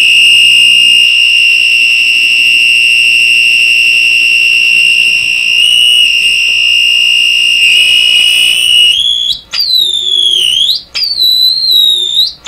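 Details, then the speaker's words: Deforest 10DA517 AM tube radio after replacing all capacitors: loud piercing squeal holds a high pitch, then wavers and cuts in and out from unwanted oscillation; blocking the grid of a tube far from the audio section cuts the squeal. "Now, something else I noticed in my earlier video, when I block the grid on this tube, it cuts out this horrible squeal."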